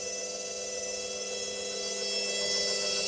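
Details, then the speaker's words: Indesit IWDE126 washer dryer motor now spinning where it wasn't before, no warning lights; owner suspects worn motor brushes, new set to be ordered. Steady whining motor tone climbing slightly as it spins up, a bit noisy but even; normal motor spin. "Like I said, it is a bit noisy, but it is spinning as it wasn't before, which is a good sign."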